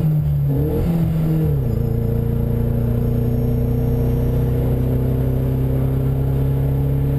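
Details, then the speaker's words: Driving in a chopped, lowered-roof car with a plasticine body: engine revs briefly, then settles to a steady drone but runs rough and misfires badly under way; owner suspects a bad wire, cause unknown. "You hear that misfire? Yeah. Thank you. Wow. And all my blinkers still work. Wow. Everything still works like a normal car. Yeah, now she's misfiring kind of bad."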